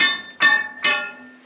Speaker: that high-pitched like noise there that's a really good noise that means it's nice and solid and that's not going to come down on our heads which is good